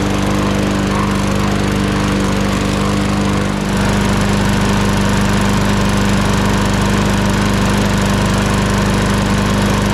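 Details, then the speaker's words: 2021 lawn mower started on the first pull: it fires and settles into a steady, even buzz without stumbling, some oil in the muffler burning off; normal running. "we'll make sure that starts right back up but uh that was first pull you it seems like we had some oil in the muffler but that's all burning off now"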